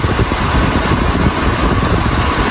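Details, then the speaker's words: Portable aircon after swapping in a replacement compressor, adding an access valve and recharging refrigerant: steady low compressor hum with even fan rush, no vibration, knocking or rattling, cold air; normal compressor and fan running. "Okay naman yung tunog ng compressor. Wala namang vibration. So goods na yan."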